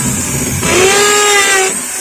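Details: Maktec MT811 drill after gear replacement for a head that spun loose: winds up to a clean, steady high whine, holds it evenly, then spins down with no grinding or rattle; healthy gearing, normal run.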